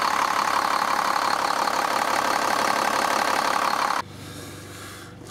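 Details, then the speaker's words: 2001 Cummins 8.3L ISC diesel in an American Coach RV, just restarted after a fuel filter change and a re-prime: steady, even diesel rumble for about four seconds, then a quieter low drone; idling smoothly with no misfire. "fired it right up. Little bit of a hiccup when it first started, totally normal. System's full of air for that, and it's running great."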